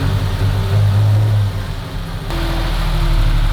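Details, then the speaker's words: V8 car, smoky at start with weird idle: fast, lumpy idle that dips briefly then climbs back and holds high; cause of high idle not yet found. "Trying to figure out why the idle is so high, but the car sounds good."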